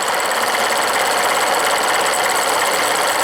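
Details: Steam launch with Cheddar Proteus 4.5 cc Maudsley reversing engine and engine-driven feed pump; bypass valve closed, boiler level had dropped; fast even ticking over steady steam hiss, the pump check ball seating normally while refilling the boiler.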